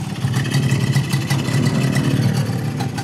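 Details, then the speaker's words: Yamaha 125ZR two-stroke, standard block, 125 carburetor, standard exhaust, mileage 29,000: smooth, even drone holding steady under light throttle without misses, rattles or hesitation; normal healthy engine. "Yang ni jalan exhaust standard je. Bunyi sedap."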